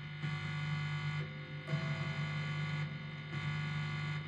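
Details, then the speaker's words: Used Ibanez 7-string electric guitar through an amp sim/distortion: steady low buzzy mains hum swelling in bursts when touching the pickup selector; selector not connected to ground loop, cavity unshielded. "my assumption is that the pickup selector is not connected to the ground Loop"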